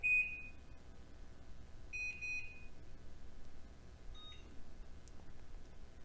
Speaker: The range has 3 different buzzer sounds.